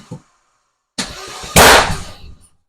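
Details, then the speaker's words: Vauxhall Nova with a C20XE redtop engine on ITBs, cranking with the fuel pump bridged because the ECU gave the pump relay no trigger: sharp pops and coughing bursts spitting back through the inlet manifold. "Bridge the fuel pump beautiful it's now popping and farting through the inlet manifold"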